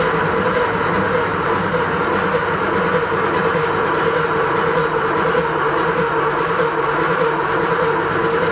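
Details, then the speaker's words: Porsche 3.2 Carrera with a freshly rebuilt, just-installed engine, cranked up to 30 seconds to build oil pressure before the first start: steady, even starter churn with no firing. Normal cranking; the oil light goes out as pressure rises. "what we're going to do is crank this for up to 30 seconds or so i'm going to be using a clock over there on the wall to time myself and i want to see this light go out"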